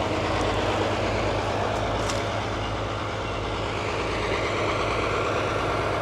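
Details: 1939 Allis Chalmers HD14 bulldozer with 6-71 diesel, running after sitting several years, smoke clearing when worked: even, steady rumble at idle, no misses or knocks; normal idle.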